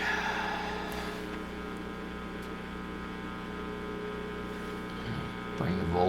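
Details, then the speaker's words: Recapped purple G.E. Model 56 tube radio powered up slowly: steady low buzzing hum present only with volume up, not with volume down; filter cap thought unlikely, heater-to-cathode leak suspected; mains hum. "there we go we got a little bit of a hum i had hmm got all new caps in here i wonder if we have a heater to cathode leak"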